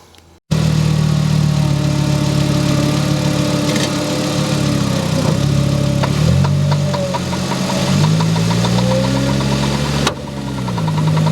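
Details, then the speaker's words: VW Jetta with the engine idling: a run of light, quick clicks while the wheels turn, occurring when turning both left and right. Both front CV axles are bad and need replacement. "so they're not supposed to click like that normally when you hear clicking that means your axles are bad um it's doing that on both turning left and turning right so both of them have to be replaced"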